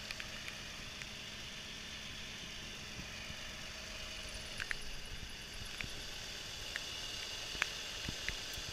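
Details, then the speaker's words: Infiniti G35 engine started during a used-car inspection: quiet, even idle with a soft steady hum and no ticking, rattle or knocking; judged all good. "this case all good don't forget to check for oil leak under the engine bay"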